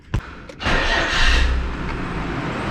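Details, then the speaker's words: Nissan R31 Skyline TI started after an exhaust leak repair. A quick crank catches into a steady, smooth idle with no exhaust puffing, so the leak is gone. A typical light lifter tick remains. Normal start and idle. "oh that sounds so much better just the lifter tick just typical Li The Tick but oh it's gone ah yes I can't feel any pups thank God"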